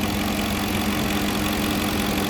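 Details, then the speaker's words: Porsche Cayenne 4.5 V8 biturbo restarted after reassembly, with a kinked vacuum hose found and a failed electric brake vacuum pump replaced: smooth, even burble and steady hum with no ticks or misses, running like clockwork; normal idle. "Donc là, il tourne comme une horloge, ce V8."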